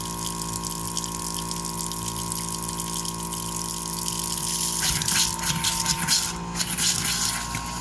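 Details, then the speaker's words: Floe 868 drain-down unit on a static caravan system, tap open: steady loud whining compressor speeding up as pressure builds, water gushing and spitting from the tap; normal drain-down compressor operation. "The machine's kicking in. You can hear the loud whining in the background."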